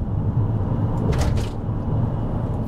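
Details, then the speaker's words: VW Eos while driving: a deep, steady drone from underneath that rises and falls with road speed, a worn wheel-bearing rumble. The car still pulls well with no whistles. "yeah you can hear that wheel bearing Rumble can't you it does pull well though and there's no whistles from the"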